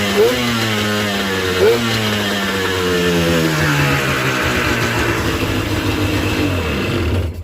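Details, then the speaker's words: Yamaha WaveRunner XL800 two-stroke, first fire-up after fixing a no-power/no-start/no-display fault with a fresh tank of fuel: crisp buzz with sharp throttle blips, revs climb then settle, runs cleanly though smoky. "she fired up but she sure smoked up the whole shop"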